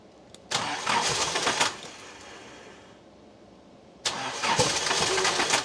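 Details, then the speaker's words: Speeduino Ocelot standalone ECU on a Nissan 200SX, first startup attempt: steady starter cranking at about four turns a second in two bursts that never catch; it sounded low on fuel and a little backfiry, MAP hose connected; cranks but won't start. "Let me give her one more try with fuel. That was that was like maybe three revolutions of on its own"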